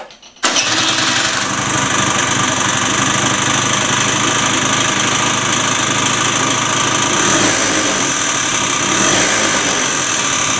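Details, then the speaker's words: Peugeot Elyseo 50 scooter just after fitting a new cylinder: starts and settles into a loud, harsh idle with a rough metallic rattle throughout; owner suspects bearing damage requiring engine teardown. "Das hört sich nicht gut an. Ich befürchte, dass der Motor auseinander darf. Ja, das hört sich ganz nach einem Lagerschaden an."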